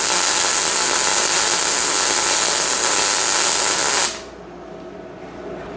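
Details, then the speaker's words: Inexpensive portable Amazon MIG welder, light-duty MIG with argon shielding gas, first test: steady, even crackling sizzle for about four seconds, then a clean cutoff; normal smooth arc, better than expected. "Dang. Okay. Yeah. That's actually way better than I anticipated."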